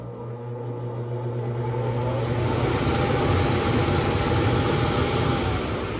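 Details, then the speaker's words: Universal replacement HVAC blower motor powered directly with the control board bypassed on a no-cool call: low hum builds into a smooth, even airflow rush; blower motor is good, fault is bad relays on the control board. "All right, so we know our blower is good."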